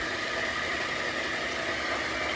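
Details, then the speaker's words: Vintage Walker Turner 900 drill press, about 14-inch: a steady, smooth motor hum with a faint constant whir. The bearings don't sound noisy; the owner thinks the noise comes from the belt. Light running noise. "Because I don't hear a lot of noise coming from the bearings. I think that noise is just coming from that belt."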